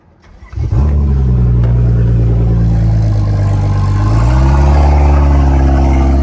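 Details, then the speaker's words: BMW F10 535i N55 with a DIY big single-turbo kit, first startup after tightening an oil leak: quick crank catches within a second, revs flare then settle to a high, steady cold idle in eco mode, deep even note, no misfire. "So, here you go with the first startup. Right now we're just um idling right now because I got it in uh regular eco mode."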